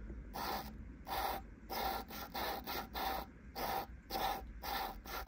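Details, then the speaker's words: Lapping a cleaned valve with fresh grinding paste on a Land Rover Series 2¼ petrol cylinder head: rhythmic gritty back-and-forth rasps about every half second, crisp and even. The sound shows the valve already has a decent seat. "again you can tell by the noise that it's making that it's actually it's got a decent seat already but"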